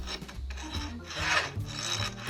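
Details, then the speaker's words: Sharpening a chainsaw cutter with a round file held in one hand without pressure. It gives a light, thin "shari-shari" scraping instead of the firm "gori-gori" grinding of proper two-handed pressure, so the cutter is not being sharpened properly. "こんな感じでですね、なんかシャリシャリシャリっていうようなね軽い音になっちゃうんですよね。"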